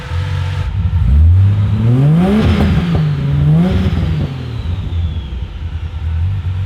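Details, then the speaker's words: Turbocharged Ford Fairlane drag build after fixing turbo cooling line leaks and shortening a 90-degree bend: revs rise and fall smoothly, even exhaust note, faint turbo whistle, much louder blow-off; runs healthy. "It sounds so different now. It does, but we just went for a spin around the block and it sounds sick. The turbo dose is insane now."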